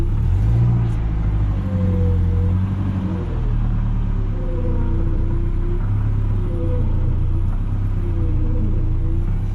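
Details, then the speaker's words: Nissan 240SX S14 with a leaking power steering pump: a thin wavering whine rides over a low idle, and steering only assists when revved. Worn pump, rebuilt with a seal kit. "pumps just making a whining noise it's really [ __ ] it away and usually it doesn't work unless I rev the engine up"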